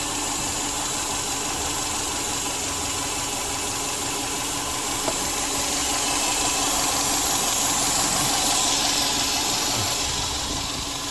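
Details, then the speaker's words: 2002 Subaru Forester Turbo EJ255 running lean at idle (P0171, check engine light): loud steady hiss over idle with rpm change, vacuum leak from a disconnected hose at the front of the engine. "so i've just taken the uh engine cover off and i straight away as soon as i opened the bonnet i could hear a vacuum leak down the front here you can hear the rpm change"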